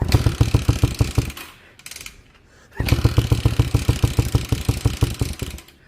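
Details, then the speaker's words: 1979 Honda CM185T (200T Twinstar) after sitting in a field about a decade, first start attempt: uneven chuffing that catches, stumbles and dies out again; engine fires but won't keep running yet. "Um, sat in a field for about a decade and I'm close to getting it to run. It hasn't run yet, but it wants to."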